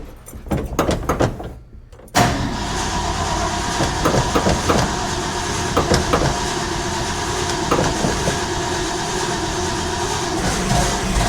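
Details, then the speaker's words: 1970 Ford F250 dually with a 302 V8, top end just reassembled, which starts and then dies: steady, rhythmic cranking that never catches. The tank is on empty, so it's out of gas. "Oh, you know what, folks? I bet I'm out of gas cuz that sucker that sucker is on empty."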